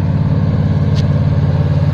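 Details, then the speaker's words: Carbureted engine after STP engine treatment: steady, even drone at high idle about 1,800 rpm after revving to 3,200, run until the exhaust smoke clears; normal high idle, no misses or knocks. "now it's just going to stay in uh in high idle like this until the exhaust clears out"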